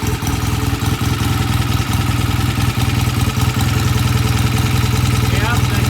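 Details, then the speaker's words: BSA A65 Lightning, came in hard to start, after cleaning pilot jets and setting idle mixture and idle speed; steady even low thump with no misses, good oil flow, smooth healthy idle; normal idle. "good oil flow foreign very nicely okay that sounds good sounds very nice we're going to call her done"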